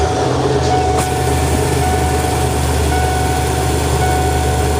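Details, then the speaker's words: 1993 Ford E150 Econoline van, 351 Windsor 5.8L V8, after idle air control valve replacement (previously erratic start-up idle and surging when warm): even, steady idle with constant low drone and no hunting or surging; engine idles smoothly. "beautiful look at how smooth that engine runs"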